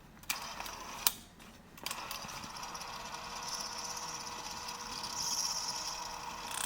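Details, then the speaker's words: Sony WM-F77 cassette Walkman (circa 1986), first try with a tape: sharp clicks, then a thin drive whir; transport catches and stalls, fast forward and rewind work then stop. Owner suspects it needs to work out kinks. "Sounded like it wanted to spin, but it just wasn't going. Maybe it'll be different with it. I'll go for a little bit and then I'll stop. Maybe it just needs to work out the kinks cuz it'll fast forward and rewind and then it'll stop working."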